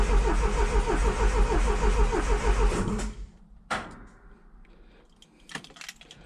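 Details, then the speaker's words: 1977 Triumph TR7 cranking out of gear: even, healthy turnover at about three compression pulses per second, but it never fires. "turns over pretty good. So, what I need to do now is um I'm going to take a plug out."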